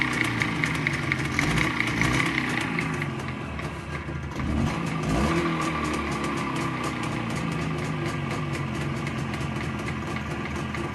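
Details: ChZ 472.6 two-stroke engine, crank good, cylinder bored +0.11 mm: hard, fairly regular knock about three to four per second through the exhaust noise, present cold and hot, in neutral and in gear; owner suspects the gearbox, source undetermined.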